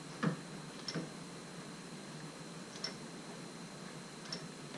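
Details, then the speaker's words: 2003 Mini Cooper AC compressor removed from the car and turned slowly: a few scattered dry ticks against near silence, audible even at slow speed; worn compressor being replaced along with the receiver drier. "there's the noise. Even at slow speeds, you can hear it."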